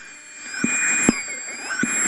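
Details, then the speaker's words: Homebrew 3-tube ARRL Simple-X receiver (1961 handbook, 80/40 m): regeneration control turned too high, hissy noise with whistles and dull pops breaking into regeneration, more than wanted. "This is the regeneration control. You can hear it popping into regeneration there."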